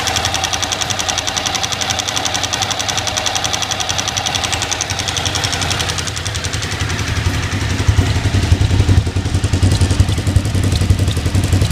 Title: TL1000R - Ticking Sound